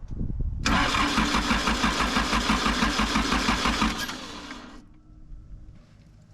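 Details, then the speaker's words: Diesel vehicle at an outback workshop cranking evenly without catching. Diesel reaches the bleed hole, so the lift pump is ruled out. Cause was air in the diesel fuel system, fixed by bleeding and priming. Crank, no start. "It's definitely not the lift pump, because we're getting diesel to it. So after a little bit of bleeding, bit of priming, got it going."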